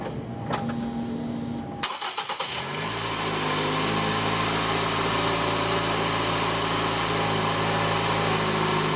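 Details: 2008–2012 Ford Escape 2.5 XLT, after replacing the belt tensioner and grooved pulley to cure a grinding or squealing noise: a smooth, steady idle hum after starting with no squeal or grinding, and the belt drive sounds healthy.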